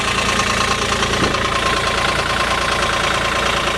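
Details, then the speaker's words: 2015 Caterpillar 303.5E CR mini excavator diesel, 3,529 hours: even diesel clatter at steady speed after revving, no misses, knocks, leaks or blow-by; noise only when starting below freezing. Motor sounds good, smooth running. "Motor sounds good, smooth running outfit."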